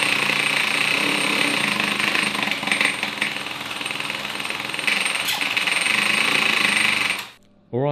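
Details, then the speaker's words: 3D-printed 1/8-scale Supra with small two-cylinder engine, after carburetor adjustment: shrill high-revving buzz holds, then falls off and cuts out below about half rpm; won't hold low rpm, stalls. "it starts up but it has to stay at the high RPM if it's lower than half it will shut it off"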